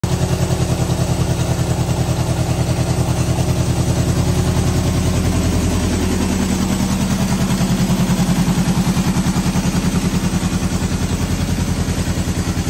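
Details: 1973 Honda CB750 first start after sitting 15 years; the previous owner's no-start was traced to a worn-out kill switch. Steady, even four-cylinder beat swelling smoothly with throttle and easing back; normal running.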